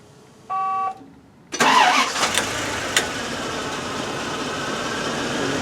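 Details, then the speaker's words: 1998 Bentley Brooklands R petrol V8 with a rich-running condition: brief dash chime, then starts into a slightly uneven rough idle, logged as a random misfire on no particular cylinder; injectors audible on the fuel rail, cause unknown. "tell bit of a rough idle a but it's showing up as a as a a random mire it's not showing up on any particular cylinder in itself"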